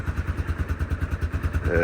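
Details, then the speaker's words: Yamaha Grizzly ATV rescued after years unused (radiator, throttle cable and leaks fixed): starts right up and holds an even low thumping idle of about nine beats a second, with no misses; clean single-cylinder idle. "but this is a good little machine it starts right up"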